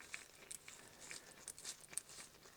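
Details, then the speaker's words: Classic Mini Cooper 1275 automatic, removed front right wheel bearing turned by hand: dry gritty crunching and irregular clicks; the bearing is torn apart inside with metal fragments, and it is unclear whether poor bearing quality caused it. "And it probably was, because this is completely torn apart. There's metal parts all over the place inside of this bearing."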